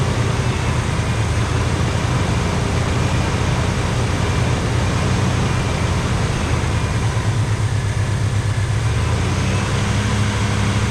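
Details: 1985 Pontiac Trans Am V8, 34,000 miles, parked since 1998, with a sticky carburetor. Deep, steady idle with an even low rumble and no misses or knocks; running well.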